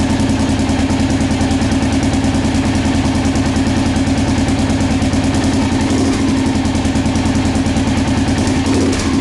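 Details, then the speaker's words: Rebuilt Honda XR650L single-cylinder with new camshaft, Uni filter, FMS header and White Brothers full exhaust, carburettor jetted to match; loud steady even thump at idle with a deep exhaust note, no knocks or misses, healthy. "The carburetor has been jetted to match the new camshaft and everything else. The uni filter, the full exhaust, everything's been jetted to appropriately."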